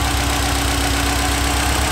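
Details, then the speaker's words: Subaru WRX with non-stock turbo, first start after sitting almost 4 months: steady, even boxer idle with a low rhythmic burble, no knocks or misfires; started easily after priming the fuel pump. "It's been almost 4 months of it being absolutely in this spot without moving, and it started out like a dream. Absolutely great."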